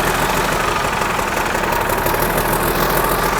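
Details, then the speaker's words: 1963 Mack F600 old diesel, just fired up after checking fuel prime; oil pressure slowly rising through the big filter. Steady idle clatter under a thin constant turbo whistle, running evenly: normal healthy idle. "magnificent hear that turbo whistle"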